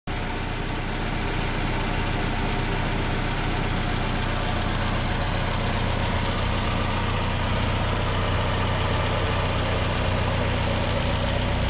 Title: idle with no lifter tick 6 25 25